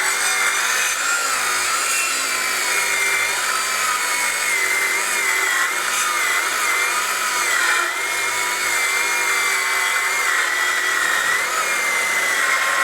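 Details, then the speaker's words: Craftsman V20 brushless 7-1/4" circular saw CMCS550B, battery just over half charged, full-depth cut across 4x4 treated lumber: whine stays high and rough through the long cut, pitch sagging under load as the plugged dust port packs sawdust and drags the blade. "I want to show you the amount of sawdust that I'm actually pushing on this side because that guy plugged up. That was making me slow down quite a bit while I was making this cut, but at the same point, no problem, was able to do it."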